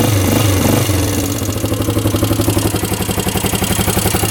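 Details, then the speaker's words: 1998 Yamaha Grizzly 600 ATV just started cold on choke in neutral: light quick ticking about four per second over the thump, owner suspects loose valve clearance; no smoke, keeps shutting off, won't exceed 10 mph. "I can hear the valves ticking in there, so those probably aren't tight."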